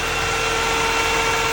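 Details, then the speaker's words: Mini Cooper S R50/R53 idling with a wire unplugged and a weak battery: a loud, steady rushing roar with a faint even hum. The coolant fan runs constantly at high speed; owner suspects an AC pressure sensor fault. "so maybe you can hear the blower I mean the uh the coolant fan it's going"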